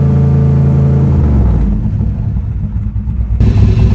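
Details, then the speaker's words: Bonemaro street/strip drag car, started after a battery voltage check via its under-floorboard theft-deterrent start: a loud choppy big-cam rumble surges with throttle blips and settles back evenly, with no knocks, healthy and rowdy. "Thing sounds rowdy. Yeah, it does."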